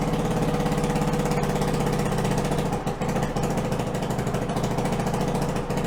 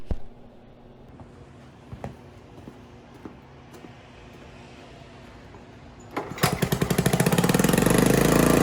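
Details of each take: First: 1974 Honda ATC90 with swapped-in 1972 US90 engine, carburettor refitted with new float inlet O-ring and copper crush washers; small single runs with even crisp beat at idle and picks up cleanly when revved. Normal running. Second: Hybrid 1974 Honda ATC90 with a swapped-in 1972 US90 engine, running after the carburetor was refitted with a new O-ring and copper crush washers. The small single idles in a quick, even putter, faster than it should. Suspected cause is carburetor tuning; air screw about 1¼–1½ turns out.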